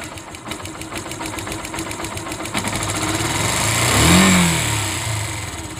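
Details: Motorcycle engine with quick, even ticking over idle rising with a short rev, present for months; timing chain noise, owner suspects loose cam chain, tensioner adjustment made it louder, not fixed.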